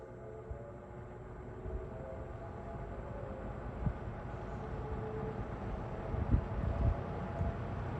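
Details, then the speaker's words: Lakewood P25 metal-blade fan, bought new around 2009-2010, barely used, first run in a window at low speed. A low, steady whoosh with a faint motor hum and some handling bumps; runs smoothly. "These things are just so powerful. They just, those metal blades just move so much air."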